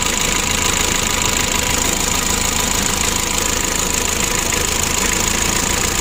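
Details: Mitsubishi L300 diesel, about 2011, hard starting and lacking power, during injection pump adjustment: hard, fast, fairly regular knocking about four a second over a noisy idle, no clear cause; rough knocking idle.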